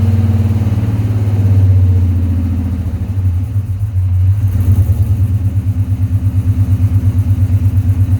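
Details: 1970 Coronet with swapped 6.1 HEMI V8 at idle, oil pressure 69 psi, air-fuel ratio reading 35.6 against target 13, smelling rich: lumpy, uneven idle with irregular stumble; dead cylinders from injectors not firing.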